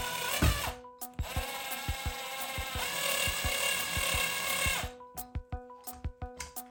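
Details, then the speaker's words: Team Corally Dementor RC buggy repair: driver whirs with sharp clicks then quick ticks as the hex bit skips in the screw; dirt in the hex suspected of preventing full engagement. "sometimes that sound i was hearing you know the the hex bit kind of skipping around that is not a good sound"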